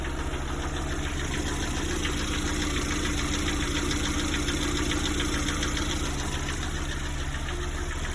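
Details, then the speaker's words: Lada Priora at 58,000 km, warm idle: light, fairly regular tapping about three per second over the engine note, starting only once warm, not when cold; owner thinks not lifters, perhaps a piston; engine knock, source unclear. "Это не гидрики. Как будто поршень, что ли, стучит. Да, только при нагреве начинается."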